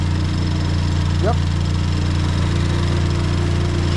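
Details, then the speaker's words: Ford Fiesta ST just after new spark plugs fitted, started to check for misfires: catches cleanly and settles into a smooth, even idle with no stumbles; no misfire, running normally. "She is sounding good."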